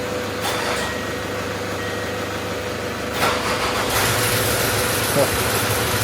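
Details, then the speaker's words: Range Rover Sport salvage shell with engine transplanted from another Range Rover Sport, first start after bleeding fuel system: short crank, catches at once, even steady idle, no misses or knocks, no engine lights. "right away. Fire up. Look at that. No engine lights or nothing."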